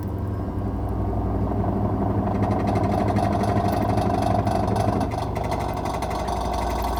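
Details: Automatic washing machine: continuous churning with a rough, uneven low rumble, about three knocks a second; faulty gearbox.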